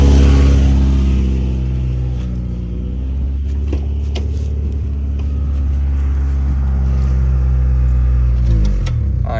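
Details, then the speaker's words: Honda Integra, cold start at idle after scraping in a steep parking lot: a rhythmic puffing tick of about 3.5 per second over a deep rumble, an exhaust leak where the header meets the exhaust, blowing leaves underneath. "so that's definitely where the leak's at it's moving the leaves out from under it"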